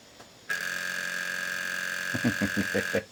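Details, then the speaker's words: Sony PS2 Slim SCPH-70012, sold as non-working noisy drive: steady high whir of spinning disc, then about six quick clunks as laser sled hunts; won't read, micro switch on bottom of laser is bad. "Yep. That little micro switch is bad on the bottom of the laser."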